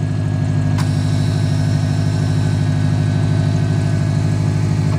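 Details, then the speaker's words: Subaru WRX running after a jump start from a Cobalt because of a dead battery. Steady, even low idle with a smooth regular pulse and no knocks or misses; the engine runs cleanly. "we got a running and as you can hear I just had a dead battery right now"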